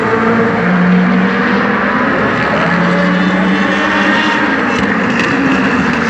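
Loud racing V8 holding revs with a rough, uneven note under the exhaust roar, consistent with one or more cylinders misfiring.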